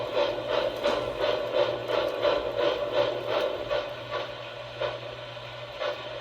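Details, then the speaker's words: 3rd Rail High Iron K4 #1361 model steam locomotive (postwar Pilot) on first layout power-up, EOB chuff circuit triggering crisp, evenly spaced chuffs at about three per second in time with the wheels; normal steam chuff sound. "oh power is on well definitely got more chuffing"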